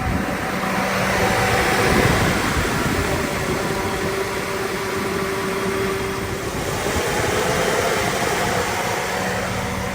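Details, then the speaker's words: 2001 Chevrolet Tahoe with electric fan conversion (no tune, relay on ignition), at operating temperature with AC switched on: steady, even rushing whoosh of fans at full speed, no rubbing or ticking; fans cycling on properly. "So you can see they kicked on right there. And they're cycling on and off, which is good."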